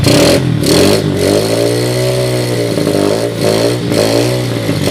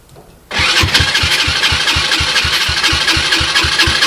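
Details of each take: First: 2007 SSR Monster 125cc pit bike with a rebuilt carburetor (float issues remain) on a portable 12V GY6 CDI: the single revs up and settles repeatedly, crisp steady firing with no knocks or rattles; no bad sounds. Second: 2007 SSR Monster 125cc pit bike with a rebuilt carburetor (float issues remain), ether-started on a portable 12V GY6 CDI, in neutral: a quick, slightly uneven beat with raspy exhaust; runs rich, owner says too much choke.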